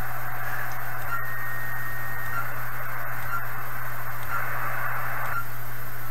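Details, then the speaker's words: Kenwood TS-430S 1980s HF transceiver tuned to a 1 MHz step, steady even static hiss swelling gently with incoming signal, no crackle or dropouts; volume variations come from antenna signal level, not the radio; normal receiver noise. "so i i think the variations in volume there are from the signal level on the antenna now not the radio"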